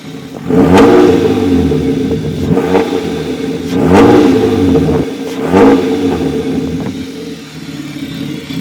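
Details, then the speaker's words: BMW E36 after a full engine swap from M42 to M50, first start after months of work, described as sounding gnarly. Three clean throttle blips rising and falling smoothly with a steady idle between them; normal revving. "Sounds gnarly right now. Yeah, she sounds like she's fucking tan."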